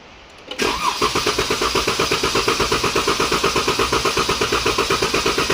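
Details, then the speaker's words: 2014 Dodge Durango 3.6L with code P0304, during clear-flood cranking: the starter cranks with fast, pulsing chuffs on an uneven beat. A current-probe relative compression test shows one dip, indicating low compression, probably on cylinder 4. "how it keeps coming down we have a compression problem on probably cylinder 4"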